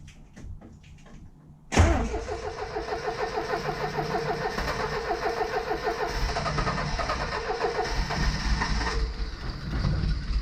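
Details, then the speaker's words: 1977 Triumph TR7 fed from an auxiliary fuel tank via the mechanical fuel pump: short crank, catches at once and settles to a steady, even idle; starts well, though the viscous fan is worn out and rattles. "Oh well, no problem. Starts pretty well now."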